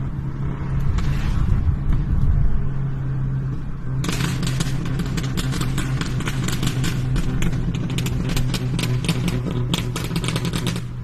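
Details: Engine running steadily with irregular sharp pops and crackles on top, about three or four a second. Cause unclear.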